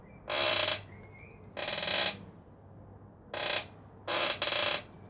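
Four sharp high-pitched squeaks, one with each push on the suspension, from a dry, squeaking rear shock at its lower mount.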